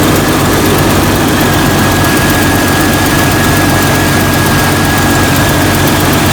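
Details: Jeep Cherokee XJ 4.0L that would not start, started after a jump; battery nearly a year old, reading 12.3 V. Steady, even idle with a faint constant whine over the hum and no misses. Alternator reads about 14.2 V, so it is good and the battery is the problem. Normal idle.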